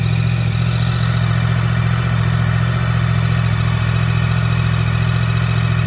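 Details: Yamaha MT-10, stone-cold start after sitting about three weeks on a trickle charger, downpipe cold with some condensation: steady, even low idle pulsing about three and a half beats a second, no ticking or knocking; healthy cold idle.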